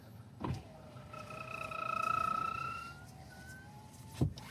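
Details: 2024 Nissan Sentra B18 power window: a clunk, then a strained, squeaky motor whine as the glass travels and a clunk at the stop; the window regulator is creaking.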